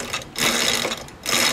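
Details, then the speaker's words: Coleman KT196 go-kart with Predator 301 engine, jackshaft chain drive after fixing weak jackshaft mount and retensioning chain: light whirring in short spins, no more jingling or rattle; chain properly tensioned and spinning freely. "everything spins freely or chain is properly tensioned I don't hear any more ringa dinga jingling stuff anymore I guess that did the trick"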